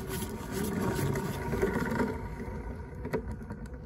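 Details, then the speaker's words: Renault Zoe ZE40 traction motor removed, reduction gear off, shaft spun by hand: a gritty, rumbling grind that fades as it coasts down, from worn bearings, with heavy aluminium corrosion found; this is the noise source. "sounds pretty bad so that's obviously what's making the noise"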